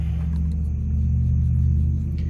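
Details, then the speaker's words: Wash motor from a KitchenAid KUDS30IXSS0 dishwasher that wouldn't start and flashed a 6 4 error, run on a bench test harness: steady, low, even hum without knocking or grinding; motor not faulty. "that there's nothing wrong with my motor"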